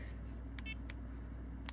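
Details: Garmin eTrex 20 GPS after repairing deteriorated buttons with eraser pieces and tape: short, crisp beeps with each press over a quiet room hum, every press registers; buttons working normally.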